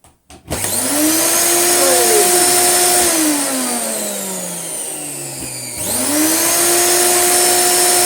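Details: Moulinex E59 vacuum, found not working, first run with the switch properly on: motor spins up to a steady high whine, eases down briefly, then climbs back smoothly with no rattle or scraping; running healthy.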